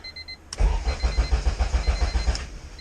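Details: Honda EK hatchback with an LS/VTEC engine swap on a base-map tune with a raw fuel smell: rapid cranking catches into a rough idle. A thin high starter whine continues afterward because the starter is not disengaging.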